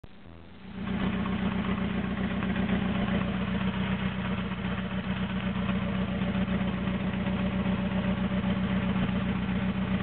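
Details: Toyota AE86 with naturally aspirated 4AGZE on a re-pinned bluetop harness, ECU, injectors and fuel rail, no exhaust past the downpipe: uneven, lumpy idle that wavers and struggles to hold steady after start-up; rough idle, cause unknown.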